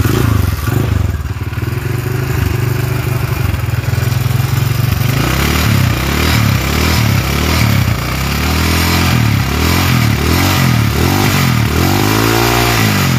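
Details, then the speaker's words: Honda GL motorcycle with CBR piston (previous piston scored after a month): rough, uneven thumping idle with scraping clatter, cam chain tensioner rising and falling; clamp fitted reversed lets bolt rub rotating part, causing rough noise. "Nah kalau kita dengarkan suaranya nahah lonjak-lonjak ke sendiri keceil sendiri"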